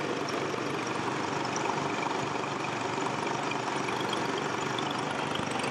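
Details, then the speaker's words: Nissan Xterra, 214,000 miles, suspected head gasket problem, idling: even idle with a fast, uneven puffing tick of about three per second from a small exhaust leak on one side. "listen how nice this engine still sounds besides the exhaust leak"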